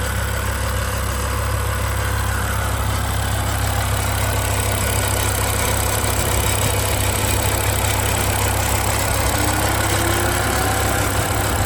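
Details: 2007 BMW M6 V10 with SMG, 67,000 miles, at idle: deep idle with fast loose metallic buzzing rattle about three per second; owner suspects heat shield, prying on heat shields quieted it.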